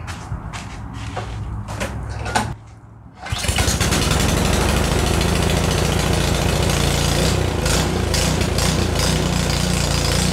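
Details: Craftsman 27-inch two-stage snowblower, 250cc Briggs & Stratton 1150 Series, after carb clean and jet drilling for old ethanol fuel, primed, choke on, throttle up: few pulls, catches at once, steady even run without misses.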